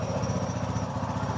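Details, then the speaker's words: XL 100 BS6 motorcycle with check engine light on: it starts and idles steadily but slightly lumpy, then dies when the throttle is opened. Fault not yet found; fuel pressure to be checked next. "এই start করলাম, এই accelerator দেবো আর গাড়ি বন্ধ হয়ে যাবে।"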